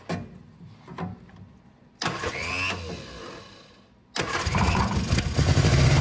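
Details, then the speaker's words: 1965 Innocenti S Spider, 1098cc engine, after reversing plug wires to correct the firing order: cranks, catches and settles into a fairly even idle; normal running. "so that's what it was the fire in order was not correct"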